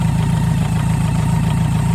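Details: BMW K100RS motorcycle at steady idle: a rapid, even knocking pulse in the low end, ticking along with engine speed. Cause of the knock unknown.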